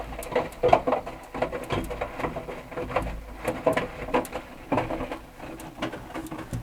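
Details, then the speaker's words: Hotpoint NSWM 1043C inverter-motor 10 kg washing machine, few years old, during wash: irregular light ticks and short creaks come and go, seeming to come from the top, one side of the machine; source unconfirmed. "oh I can hear the ticking you can hear it creaking and Ticking"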